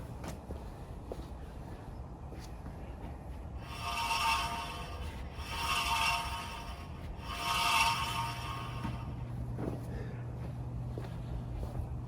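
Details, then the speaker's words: 1936 Chevy coupe jacked up with the front wheels spun by hand: three slow, even scrapes about once per turn on the driver's side. The dust shield had popped a rivet and was resting against the brake rotor. "again driver's side just feel a uniform sound but it sounds more like the dust shield see if i can adjust that so the dust shield on the driver's side has popped a rivet"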